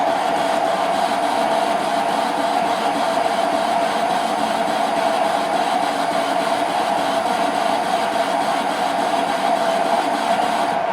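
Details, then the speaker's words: Parting off unknown material, likely hydraulic rod, on the lathe: even continuous hissing cut with steady mid-pitched ring, no chatter; the parting tool is cutting smoothly. "it's cutting quite smoothly. That's a beautiful tool."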